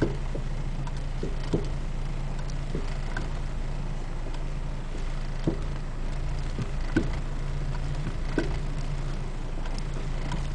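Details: Acura RSX Type-S while driving: irregular dull clunks over a steady low road and engine drone from the front driver-side suspension.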